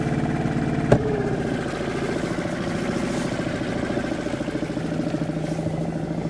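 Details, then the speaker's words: Suzuki 2.5 outboard on a boat after its carburettor was cleaned ultrasonically to fix long-standing idle problems, manoeuvring near jetties: chugging along at a steady, even idle with a soft regular beat and no stumbling or hunting, a normal idle. "as you can see here it's just chugging along nicely"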